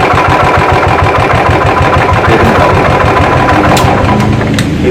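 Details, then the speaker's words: Royal Enfield UCE single-cylinder engine, right after starting: steady, even thumping knock every turn over a rough idle; crankshaft bearing worn, and if ignored the cylinder will be damaged. "അതായത് ക്രാങ്കിൻ്റെ bearing പോയിട്ടുള്ള starting knocking സൗണ്ടാണത്. ഇത് നമ്മൾ ശ്രദ്ധിക്കാതിരുന്നു കഴിഞ്ഞാൽ, അപ്പോൾ ഈ തുടക്കത്തിൽ നിന്ന് ചെയ്യാറുണ്ടെങ്കിൽ cylinder പോകും."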